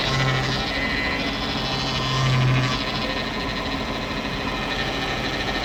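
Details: Mercedes W210 E420 idling cold: a low bleating groan from the power steering pump swells when the steering is turned; the fluid level is OK but the fluid looks bad, and the cause is undiagnosed.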